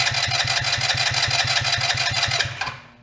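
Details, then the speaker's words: Two-passenger CVT ATV, believed 150cc, long idle; after draining odd green fuel from float bowl, steady cranking about three beats a second for several seconds, never firing. No fuel reaching cylinder from carb; old gas may not burn. "Could be all that gas, it just won't even burn."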